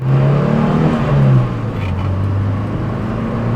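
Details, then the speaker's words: 1977 BMW 320i, four-speed manual, on a drive: deep four-cylinder drone rises with revs, drops at a gear change, then pulls again smoothly with no knocks or misses; engine noise unmuffled by insulation; normal acceleration. "what of that everything about this car is mechanical nothing about it feels restrained or softened to make it more modern like how modern cars have more sound insulation and are quieter to the point where they have to pump sound through the speakers this car every single noise you hear from that engine up front"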